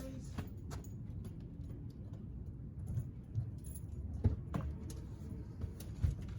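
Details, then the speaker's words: GTI cold start: a steady low rumble settling into an even idle, no misses or knocks. "So we're gonna start the GTI. Cold start for the boys real quick. Cold start for the boys."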